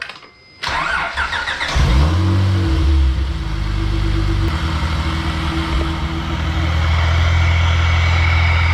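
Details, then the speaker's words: Supercharged Acura TL engine started and idling: steady idle with a faint rough grinding from the supercharger rotor area, suspected worn supercharger; unit being removed for rebuild before it seizes or causes more damage. "It's making like a little grinding noise in there where the rotors are. Now, if I let this go unchecked, it could get worse and it could either seize up or cause a lot more damage."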